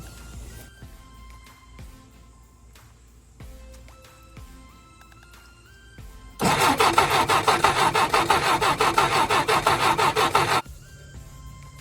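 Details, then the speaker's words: 1967 Jeep CJ5 off the road 23 years, first crank attempt: starter churns steadily about three turns a second with no firing; no spark, owner suspects dirty worn distributor points needing filing. "so I'm pretty sure now I'm not getting any spark I'm gonna have to pop this cap off this distributor and file them points down I'm sure I'm gonna guess that's the issue but there's only one way to find out"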